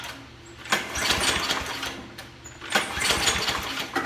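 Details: Toro Super Recycler 20353 mower (1995/1996), 6.0 HP Briggs & Stratton OHV engine, freshly restrung pull cord, before carburetor and tank cleaning: two pulls, each a short rattly burst that dies at once; cranks but won't run, cause unconfirmed.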